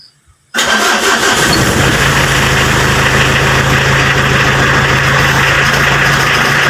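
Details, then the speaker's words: Mitsubishi L300 diesel cold start after repair of glow-plug heating system, cranked once heater indicator turned green: catches almost immediately and settles into a steady, even diesel idle with rhythmic clatter; cold-start problem fixed. "Nah, di sini setelah dilakukan perbaikan pada sistem pemanasnya, mobil L300 diesel ini pada waktu posisi dingin sudah mudah dihidupkan."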